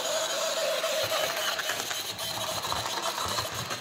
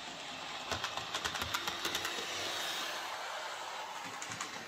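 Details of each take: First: Hornby J36 model locomotive, bought new that year, run after months unused: a thin, high screech over the small motor's whirr after running a while, in both directions. Binding, likely lack of lubrication. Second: Hornby J36 model locomotive, previously screeching, after adding gear oil mixed with white grease to the worm gear: quiet small motor with soft irregular track clicking and no screech or squeal; runs smoothly after lubrication.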